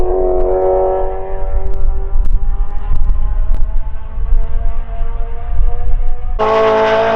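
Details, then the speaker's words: BMW E9x M3 with full titanium valved exhaust on track, flyby flooring it down the back straight: clean hard-edged exhaust note climbing steadily in pitch, then a sharp jump; strong even pull, no misfire. Normal full-throttle run, before later transmission gearing trouble. "And it sounds absolutely insane, of course. This next clip is what we were going for. So this is a good clip, and it's an awesome flyby, so check it out."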